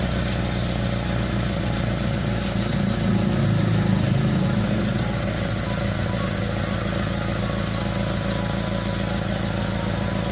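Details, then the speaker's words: SS pickup just started, at idle: a rough, gurgling, unsmooth rumble ("ngorok") like air puffing out of the exhaust, with noise escaping somewhere other than the tailpipe. This is typically caused by a leaking exhaust pipe. "seperti yang Anda dengar ya, suaranya tidak lembut ya. Jadi suaranya itu tidak lembut dan aneh ya, ada ngegorok-ngegoroknya gitu, seperti ada angin keluar dari knalpot."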